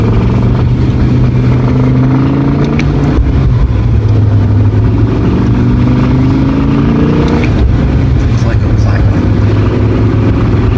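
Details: BMW E60 M5 V10 after all four VANOS solenoids were replaced for VANOS codes and a rough run, without the VANOS bleeding procedure: many clicks under throttle and a rough buzz at idle; the engine was later lost to rod bearings.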